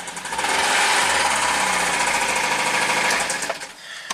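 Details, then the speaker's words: 2008 Suzuki SX4 known-good parts car, checked for oil and fuel: harsh, rattly metallic clatter at about 160 knocks a minute over a fast idle. The engine knocks mechanically but revs up fine. "it mechanically sounds terrible, but it revs up fine."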